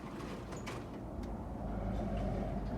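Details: Whirlpool SCW1112 washing machine spinning before repair, with belt slips: deep, steady rumble with a rough, uneven throb. Drum bearings are very badly worn and the drum has play; bearings are to be replaced.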